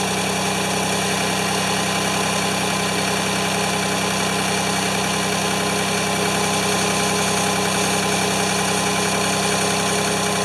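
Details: Free Ford 2600 tractor on first start attempts, smoking as it burns oil off, with plug wires popping off. It runs unevenly with a faint, irregular pulsing beat and never settles into a clean idle. The owner says fuel delivery is not feeding enough fuel.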